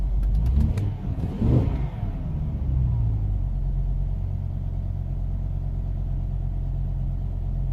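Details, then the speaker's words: 2005 BMW M5, S85 V10: a sharp rev drops back to an uneven, lumpy idle. Cylinder 5 is misfiring, and the ECU cuts that injector with the engine light on and reduced power. "I don't know if you can hear the ref our rough the engine is running look at that one"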